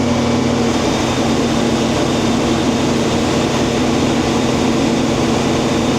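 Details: International 1440 combine after replacing the feeder belt and pulley, with the head engaged: a loud, steady drone with an even low hum and no knocks, slapping or squeal at constant speed. The drive is running healthy. Normal running.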